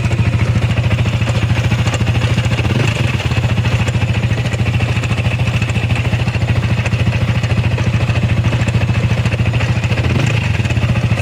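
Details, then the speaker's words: Sniper 155 VVA with a noisy engine: a steady, rapid top-end clatter of about three beats a second over the revving motor, heard even before accelerating. The cam bearing or rocker arm is suspected, and the engine is to be opened. "ang tunog niya ah kadalasan is yung sa sniper, yung sa cam bearing, yung sa kanyang sa rocker arcam."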